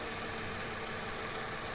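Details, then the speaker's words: Mercedes-Benz E55 idling after replacing the failed belt tensioner/adjuster pulley bearing that had made a loud noise: smooth, even idle hum with no knock or squeal; normal idle after repair. "তো friends আলহামদুলিল্লাহ sound আর করতেছে না, একদম perfect হয়ে গেছে, আগের মতো যেরকম ইঞ্জিন থাকে সেরকমই।"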